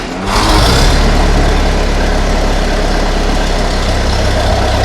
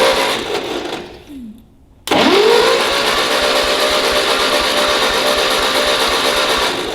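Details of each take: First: Ferguson TEA20 tractor during restoration, freshly rewired with a new distributor condenser and ignition timing only roughly set: steady, even fast idle with no knocks or misses, sounding good while timing is adjusted. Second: Ferguson TEA20 tractor, compression test during restoration: starter spins fast and evenly with no slowing on compression strokes; tester needle shows no deflection on these cylinders, only one cylinder, likely the firing one, has compression.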